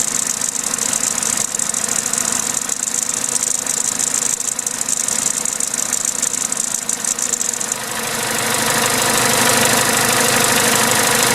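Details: Vauxhall/Opel A14XER 1.4 petrol inline-4 at start-up idle: fast metallic rattle, about three ticks a second, from the timing chain; a garage called it normal, but two weeks later the chain jumped a tooth.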